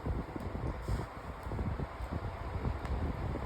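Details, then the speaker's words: Floor fan on medium then high speed, bent guard: low uneven whooshing hum with loose irregular rattling; fan out of balance, blade vibrating and shaking. "It's actually a little noisy. And high speed. It is rattling cuz it like I said, this this fan does vibrate a lot."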